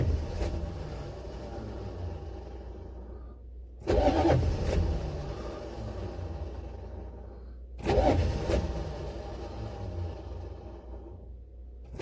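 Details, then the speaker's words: Buick Electra 5.7 diesel, cold start after a year sitting with an unrepaired blown head gasket, jump box, lots of ether, fuel system likely unprimed: slow, labored repeated cranking about every four seconds, never fires; owner blames a starter that won't crank long enough, battery then dies. "so i just don't don't get why it won't fire well i know why it won't fire because that stupid starter won't crank it over fast enough or not necessarily fast enough long enough and now we're dead"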